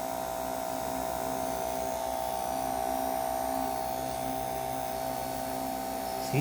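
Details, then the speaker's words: Hair clipper over a year old after its blade was adjusted and tightened, run at the topmost level: a steady, even buzz with a clean constant pitch and only a slight normal noise, much quieter than before. "I still have some moist because that's normal with but it's not as noisy as a while ago did you notice"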